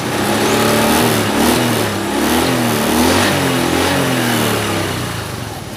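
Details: Honda Beat FI 110 scooter, hard to start and stalls whenever the throttle is released: revs waver, then sag and die. Fuel pressure (40+), injector cleaning and the idle screw didn't help. The cause was a zero exhaust valve clearance.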